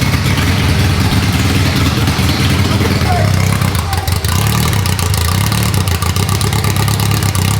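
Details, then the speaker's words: Rebuilt Ferrari F430 V8 on its first start in over 7 years: lumpy, uneven loping idle firing on only four cylinders, one bank; the cam sensor plugs turned out to be swapped. "four cylinders it was only running on four cylinders then there was only firing out of this side"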